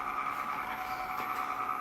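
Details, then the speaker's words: Sim2 Domino D80 projector after bulb replacement, running with top off: constant airy whir with thin steady whine from the lower lamp fan, likely heat-cooked; noisy lamp cooling fan, replacement being considered. "I can see it down the bottom it's that lower lamp fan not entirely uncommon either thing does get cooked probably quiets down after it runs for a bit"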